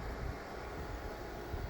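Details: Shinil SIM-M230WS ice maker after tray motor repair, starting ice making: low, steady hum with an even, quiet drone and no knocking or rattle; compressor running normally as the evaporator gets cold.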